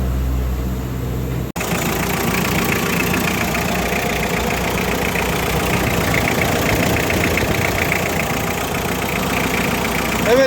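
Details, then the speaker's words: Kia engine from around 2006 after repair of a burnt cylinder head gasket that had caused ticking: steady, even idle with no ticking or knocking. "aracın sinir kapak contası her şeyi yapıldı ve motorun son hali"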